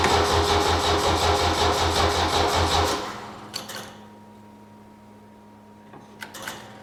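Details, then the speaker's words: 1972 Saab Sonett, start attempt with flat battery and low fuel (fuel pump audible): about three seconds of even cranking near 170 beats a minute that never fires, then lone starter clicks; cranking no-start from weak battery. "clicking is I got no battery okay I'm sorry about that I need to put the battery on charge and put more gas in it"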